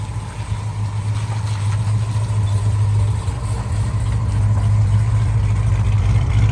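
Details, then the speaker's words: 1968 Dodge Charger V8 after clamped X-pipe exhaust joints were welded to fix leaks at every clamp: steady low burble with an even pulse, no ticking or puffing at joints, quieter in cabin, all exhaust exiting the back pipe; sealed exhaust. "it definitely sounds a lot more quiet in the cabin and uh everything's going off the back pipe like I said"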